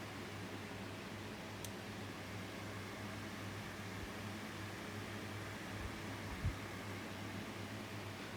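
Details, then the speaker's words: 2000s Tesco DF96 9-inch desk fan bought on eBay: even fan whoosh with a sharp click as the oscillation swings back one way, a fault it has had since purchase; still usable. "since I got the df96 from eBay it's had this thing of clicking when it oscillates back this way there as I heard it there but it's still all right to use just to hear that clipping noise that's all"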